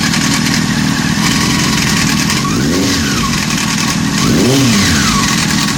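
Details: Honda CBR600 F4 four-cylinder revving up and down with a light mechanical rattle under the exhaust from the top end, suspected timing chain noise.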